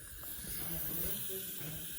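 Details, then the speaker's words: Square baler tire being aired up: quiet steady airy hiss of air escaping around the valve stem. Tire valve stem air leak. "It's leaking around the thingy bobber. What's that? No, the thing you put the air hose on. The valves."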